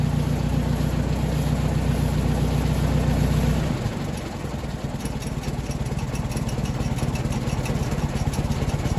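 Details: Ford 961 Powermaster tractor after ignition (points) repair; it had previously been firing only one cylinder randomly. In neutral: runs strong, then drops back to a steady, even idle putter of two to three beats a second; normal idle.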